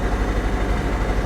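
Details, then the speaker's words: Jeep at an auction yard with an apparently freshly decked head, new rockers and a new camshaft: a low, lumpy idle with an uneven, stumbling pulse. It is misfiring, and oil is present in the spark plug wells. "not happy but it runs it does it's misfiring I have no doubt that it's misfiring because there's oil in the spark plug Wells"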